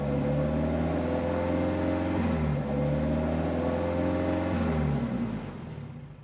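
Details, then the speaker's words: Engine first start on a new 3D-printed individual-throttle-body intake with no idle valve hooked up: revs up and sags back a few times, pitch wandering, never settling to a steady idle before dying away; owner expected poor idle from the missing idle valve. "if it starts at all I know that it's not going to idle very well because there's no idle valve hooked up but um let's let's do it let's see what happens"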